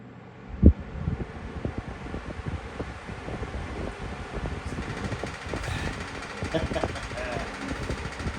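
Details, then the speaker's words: Week-old Lasko 3733 black box fan, grille off, after a balancing attempt that may have overcompensated: soft uneven flutter on the airflow; hub still bouncing a little, slight blade imbalance remains, less than before. "again I don't have the grill on and I'm looking at at the center of the Hub and I you know I see it bouncing a little bit but not as bad as before"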